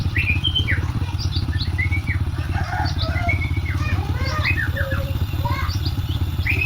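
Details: Honda Supra X 125 motorcycle after repair (scored connecting rod and bearing replaced, cam chain tensioner not contacting chain fixed, oil added); smooth even low idle putter with no knock, unlike the rough sound on arrival; normal idle.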